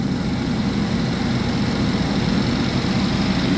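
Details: 2011 GMC Terrain, recurring P0341 cam code after new phaser solenoids and cam sensors. Cold idle, cam waveform looks decent: smooth, even low rumble, no tapping or stumbles; normal.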